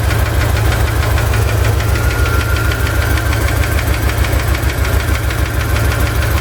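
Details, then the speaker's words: Chevy ZZ4 350 V8 idling after valve lash adjustment: steady knock or tick about two per second, seemingly driver's side; owner suspects piston slap or spun bearing, unconfirmed. "I just did valve lash adjustment and I still have this knocking sound or ticking sound. Seems to come from the driver's side."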